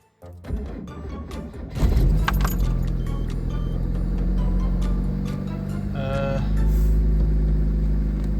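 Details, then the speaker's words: Car at -6°C after a starter rebuild (commutator cleaned, armature sanded) and a recharged battery: a short, brisk crank of about a second, then it catches and settles into steady idle. Previously it struggled and needed a booster. Normal cranking and start. "О, а тепер воно так легенько просіло і завелася, бо в мороз її завести було, це прям квест."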